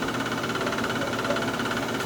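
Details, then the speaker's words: Chinese diesel heater on startup after sitting 8–9 months, going through priming cycles: steady high-pitched whir with rough gritty rattle; worn blower motor ball bearings, noisy and needed replacing. "so it goes through a few cycles that doesn't sound great but what it does first is it it starts"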